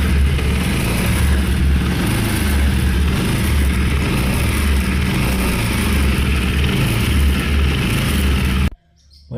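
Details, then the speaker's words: Bajaj Pulsar NS 200 carburetted, idling in neutral: a rough, uneven rumble with a faint rattle underneath from a worn right-side crankshaft bearing whose balls are eaten away. "Esa es la la balinera del cigüeñal. Entonces son lo que suena así. Ya la balinera está mala."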